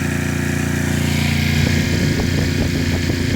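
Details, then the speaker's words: Coleman Powermate 6250 generator running an old air conditioner: steady engine drone dips and roughens slightly as the load comes on, then holds and keeps running; normal under load. "y'all see I dropped it on down some but let's see how she's running Michelle has got a load on it she's still going"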